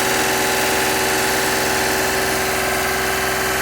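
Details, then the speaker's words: Honda Acty engine just restarted after timing belt, water pump, coolant flush and valve adjustment, warming up with heater on hot: steady even idle under loud hiss, no more ticking; normal idle, valvetrain quiet. "so you can hear how much quieter there's no more ticking from that motor sounds nice and quiet"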